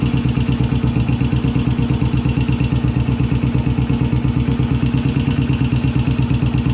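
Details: 1981 Yamaha SR500 single, smoking, 115 psi compression after oil change, check ball/spring/gasket replacement and valve adjustment: uneven stumbling thump at idle, about 170 beats a minute; rough idle, cause not clear.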